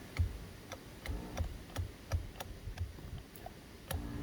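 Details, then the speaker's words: 2015 Buick Verano driver power seat, intermittent operation: motor clicks sharply about twice a second and hums briefly but the seat doesn't move; motor and voltage good, power seat switch diagnosed faulty. "so i can hear the motor clicking and pushing this switch backwards and sure enough sometimes it goes and sometimes it doesn't"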